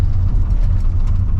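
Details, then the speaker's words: 1985 Chevrolet C10 after ignition timing adjustment with timing light, warmed up: deep, fairly even idle with the earlier shake and miss gone, running better though vacuum still only 10–15; suspected air leak at cap. "she's definitely running better sounds good"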